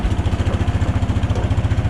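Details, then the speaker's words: Case 444 tractor revived after sitting behind a barn, single cylinder, just started after clearing the shroud of mouse nests: quick, even thumping idle with no misses; healthy. "so i'm gonna let it sit here and run for a minute and try to figure out which uh wires the charging wire and hook it"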